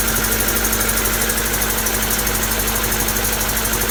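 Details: Honda D16Y7/Y8 "MiniMe" engine idling with a dull, slightly uneven knock around eighty per minute suggesting bottom-end trouble; owner suspects a spun bearing from too much nitrous, unconfirmed.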